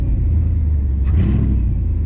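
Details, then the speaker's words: Mercedes E55 AMG with long-tube headers, stock muffler, 77mm supercharger pulley, at the drag strip on an 80° day: a pop during the burnout, then a deep loud rumble with a raw throaty blat rising on throttle as it rolls; exhaust cracked, pipe separated. "Definitely on this side. Something on my exhaust is cracked."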